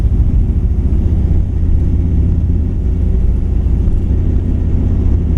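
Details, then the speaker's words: 1959 Chevrolet El Camino 348 V8 with Tri-Power, carb set up for a 283: loping, uneven drone while cruising from a dead cylinder, though it idles well; compression, spark, tune-up parts, valve lash fine; bad lifter or camshaft suspected. "See, it ain't running right. Just got no, Yeah, it sounds like it's got a dead cylinder, completely dead."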